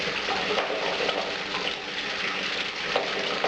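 Steady hiss and splash of water spraying and draining back down, even and unbroken throughout; washer pump running normally.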